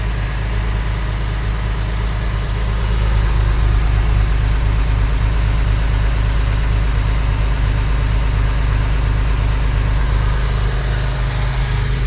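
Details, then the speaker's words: Porsche 996 3.4L flat-six after a misfire was fixed by reconnecting an improperly plugged coil wire (cylinder 6 compression 85 psi): a smooth, even low idle on all cylinders with no stumbles. "As you can see, it's running much better than before. Before, this thing was actually misfiring really bad, like something is like missing one cylinder, and that's why we found the coil."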